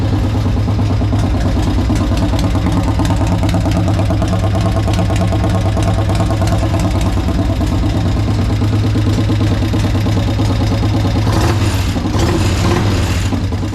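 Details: Harley-Davidson 1200 V-twin in a golf cart, first start: low idle with an uneven, lumpy beat that never settles; owner suspects a stuck carburettor float; rough idle.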